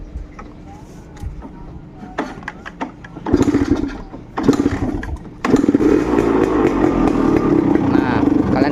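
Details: Suzuki Satria Hiu two-stroke with original Denso ignition. After fitting a 12 V 5 Ah battery reading 13.3 V, a few rough blips on starting settle into a steady, even idle: the earlier unstable idle is gone.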